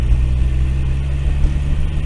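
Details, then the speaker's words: Turbo Miata whose wastegate flapper shot out the exhaust, fitted with a new intake after the old one melted: low, uneven idle with wobbling loudness; rough idle, owner guesses the ECU needs time to adapt, cause unclear. "it's running a little bit weird weird it's not really idling right but um I got like a whole new intake in there so maybe the ECU just takes a little bit to get used to"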